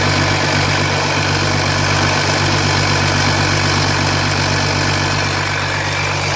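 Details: 2007 Jeep Grand Cherokee 3.0 CRD diesel started from cold at idle, oil pressure light on at idle but off when revved, oil level correct: fast even light rattle about four a second; owner suspects timing chain, not localised at front.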